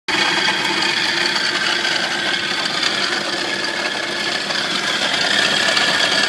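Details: Nissan 240SX petrol engine at idle with a busy, tinny metallic rattle riding over a steady run; owner asks what is causing it; engine rattle.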